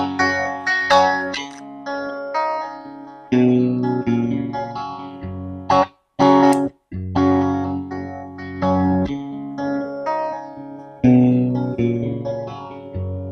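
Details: Valve guitar amp on the distortion channel, recorded on camera mics that struggle with high volume: distorted riff whose low notes sound loose and flubby instead of tight. Bottom end described as ugly; cause not yet known.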